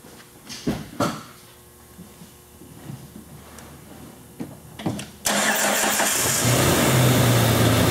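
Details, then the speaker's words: Jeep 4.0/4.6 (2000–2006) after cam sensor install: a few clicks and clunks, then instant catch into steady, even, smooth idle with no stumble. "smooth is simple as that all fired up running smooth done"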